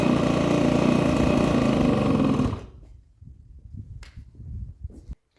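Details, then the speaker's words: Honda Vision scooter first start after new barrel, piston, head and crank, cold: buzzy, uneven idle fades and dies after about 2.5 s; it stalls until warm unless throttle is held, owner suspects carburetor adjustment is needed. "Okay, so didn't start for long. I have had that issue before where I have to hold the throttle just a little bit until it gets to temperature, and then it will tick over on its own."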